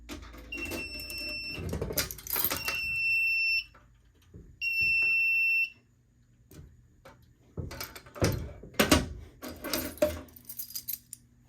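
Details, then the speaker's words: FireLite MS-2 fire alarm panel with a BG-12L pull station wired, just powered up: about one-second high beeps repeat three times over transformer hum and handling clatter; trouble buzzer for a NAC (notification circuit) fault, then acknowledged. "I've already acknowledged The Knack fault so it's quiet now"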